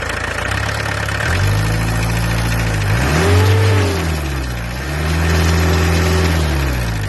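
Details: Peugeot 404 LDV pickup, XD2 diesel, second pickup for comparison: clatter rising and falling with light revs, steady rhythm, nothing irregular; normal idle.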